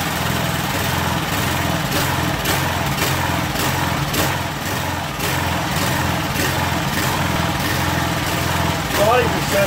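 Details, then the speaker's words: Craftsman 2700 PSI, 2.3 GPM pressure washer with Briggs & Stratton Professional Series 275cc OHV: an irregular, lumpy, surging run. The owner says it shouldn't run this bad and may swap in another engine. "but it's not right [Music] uh because it shouldn't run this bad so if there really is a problem with it we will steal that other motor and this will be some kind of a backup of parts machine"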